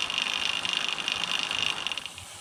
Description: A comparison of the idler cog noise on a DIY - home built carbon fiber recumbent bike. Removing the chain keeper from the idler greatly reduced the noise.